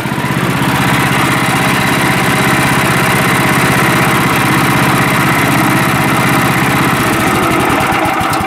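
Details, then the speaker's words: Sawmill small single-cylinder engine on gasoline, run without the water system: settles into a steady, even idle around four pulses a second, no misses or knocks; runs healthy. "yeah it sounds like it's idling there pretty good"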